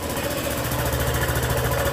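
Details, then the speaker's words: Honda PCX scooter at idle: rough chuffing tick and loose-sounding clatter on every firing pulse, suspected to come from the exhaust sealing ring left out when the tire was changed. "E ela tá fazendo um barulho horrível. Um barulho tipo de alguma coisa que tá solta lá. E isso provém do anel de vedação dela."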